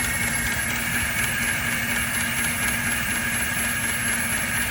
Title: Rough idle 2005 Toyota Tacoma